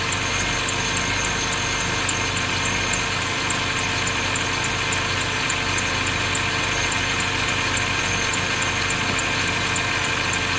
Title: Squeaking noise bmw 530i